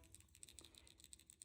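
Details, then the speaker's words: Quick, dry, uneven rattling as a removed oxygen sensor from a 2003 Mustang GT 4.6L V8 running slightly rich is shaken by hand; the element is broken inside and the sensor is toast. "and you can hear it kind of rattling. So, um, this O2 sensor right here is toast."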